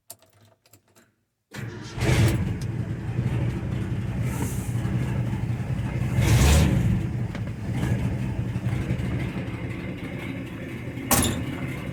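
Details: 1968 Ford F250 Camper Special V8 started after fitting a new gasket to replace a torn, brittle one, to check for leaks: short crank, then it catches and settles into a low, lumpy idle with light blips; starts and keeps running.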